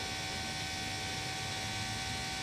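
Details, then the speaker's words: CAT 420F backhoe during service after filter change: key cycled with engine off, electric lift pump priming the fuel system, a steady hum with fine high whine, pump working hard pushing air out of the filter fitting; normal priming. "We might have to cycle the key one more time. We'll see how it goes, but you can hear that pump working hard. So this is how you're supposed to prime these."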